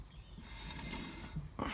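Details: Ford Escort MK5 Cabriolet rear brake drum spun by hand; light, even whirr and soft rub with no grinding or rumble; this drum and bearing are fine, unlike the other side's failed inner bearing.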